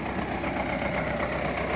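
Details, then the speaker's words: MTZ tractor ploughing in third gear during run-in after discing, not pushed hard, no smoke at all; steady even diesel drone under load with no knocks, misses or rattles, pulling cleanly. "Хочу, щоб нормально притерся, не сильно не іздіваюся. Без дима взагалі. Ось отак він іде."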